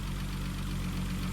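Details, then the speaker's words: VW R32 (VR engine) that sat outside a long time: steady low idle with a faint fast tick from the top end; owner suspects oil hasn't reached the top yet, cause unconfirmed. "Whew. Feels like that is a ticking noise for sure."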